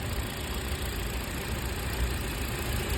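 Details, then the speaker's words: Toyota four-cylinder petrol car idling unevenly with a lumpy, irregular low thump; pulling each coil plug, cylinder two gave no change in vibration, so its ignition coil has failed, leaving a dead cylinder. "यहां से कोई response नहीं आया इसको उतारा guys कोई मिशिंग नहीं जैसे पहली धड़ थी उतनी है उससे ज्यादा नहीं बड़ी तो मतलब कि इसकी कॉइल में दिक्कत है प्रॉब्लम है कॉइल हमारी ये खराब है"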